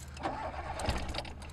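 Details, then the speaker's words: Toyota KE70 Corolla with 4AG engine on a road trip: brief rough cranking that half-catches and stumbles, reluctant to start after bogging out; owner suspects a fuel issue, later bypassing the fuel pressure regulator. "it sounds like a fuel issue like it's not really like either it's getting too much fuel or not getting enough fuel and like sort of like starts to bog out and that stopped it's done it once before and I just wanna feel pressure into it and now it doesn't really want to start"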